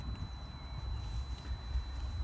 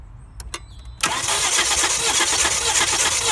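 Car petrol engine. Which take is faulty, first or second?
second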